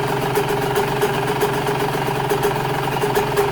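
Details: Cold Yamaha YZ125 two-stroke, idle deliberately set very low; low steady burble with even unbroken beat and no misses, healthy idle.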